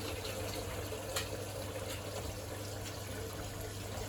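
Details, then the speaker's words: Bosch WFP3300 washing machine after new bearings and door seal, cold rinse cycle started to fill it half full and clear gunk and limescale from the spider: steady rushing of water into the drum over a low even hum; normal fill. "Let it take on some water, and I'll get some more in somehow."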